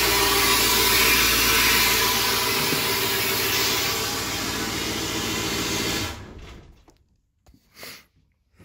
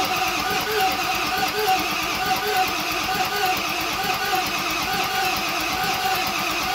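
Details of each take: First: 7.3L Powerstroke turbo diesel (Navistar T444E) for an F-350 crew cab build, first start after sitting crated almost 2 years, glow plug relay checked good: steady, even diesel clatter at idle for about six seconds, then shut off; healthy idle. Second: 7.3 Powerstroke (Navistar T444E) turbo diesel, stored almost 2 years, first start attempt, in gear with no driveshafts: steady cranking with even compression pulses, some smoke, never catches; no power found at the glow plugs.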